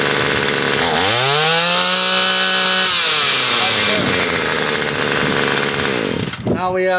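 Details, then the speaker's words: Murray M2500 attachment-type two-stroke trimmer, after carburetor and fuel line replacement and the high-speed screw adjusted: climbs quickly to a high steady buzz and holds there. Idle is too high and the clutched head spins; the idle screw will be turned down. "idle is a little bit high so we got an idle screw right here we're going to idle this down until the head stops spinning"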